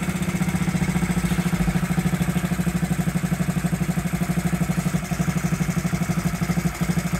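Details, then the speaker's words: 1969–70 Honda Z50 on electric start after 35 years unused, carburetor cable reinstalled and idle screws adjusted, points and carburetor not cleaned: steady, even, fast regular idle; running smoothly, normal idle. "point there you have it running after 35 years first like a kitten didn't even have to clean the points or the carburetor amazing"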